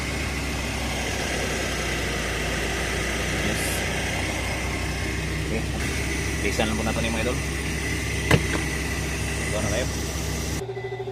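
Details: Suzuki DA64V after repairing a burnt, broken wire at the indicator panel that had stopped it starting: starts with no check engine light, smooth even idle with a steady low hum and no knocks, misses or hunting; normal idle.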